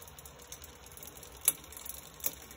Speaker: intermittent click you can hear and it's cost by this so if you look at that tooth right there you can see it makes contact with the outer link of the chain